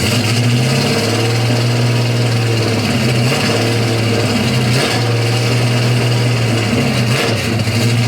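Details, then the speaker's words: 1970 Pontiac LeMans 455 V8 warming up cold on a 43°F Ohio day. Loud V8 rumble sags and stumbles about three times in eight seconds at part throttle. The owner feels a cylinder is dropping out and wonders whether the fuel pump can't keep up; unconfirmed. "I feel like a cylinder is slightly dropping out, and I need to figure that out."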